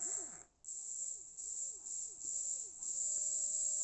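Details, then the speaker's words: Jouef 3-pole model railway motor, apparently Jouef though the chassis is unmarked, bench-tested on a 9-volt battery during servicing after a point contact issue: a thin high whine holds an even pitch apart from a brief dropout, running smoothly with no scraping. "Not so noisy. Much smoother. That's good."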